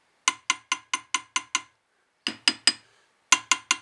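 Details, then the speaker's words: BSA A65 crankshaft tap test: quick hammer taps on the timing-side big-end journal die off as a dull clack instead of ringing, showing a crack running through the big end; compared against two other cranks judged okay. "that's what a cracked crankshaft sounds like so I think both the other two are okay"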